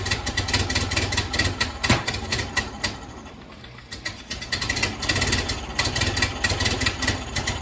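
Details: 1931 Ford Model A that sat in a barn for years, started with starting fluid, idles roughly with irregular loping beats and barely holds on; timing advanced fully just to idle, owner suspects timing is far off.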